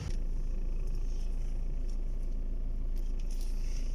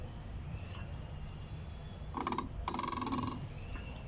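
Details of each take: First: Skoda Octavia A5 steering, turned by hand after replacing the part that caused the noise when turning: steady low rumble with only faint background ticks and no rubbing or knocking; steering now quiet. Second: Skoda Octavia A5, some parts removed, steering wheel turned by hand: short squeaky creaking bursts each turn, caused by the magnet in the steering column rubbing; after replacing it the noise is gone.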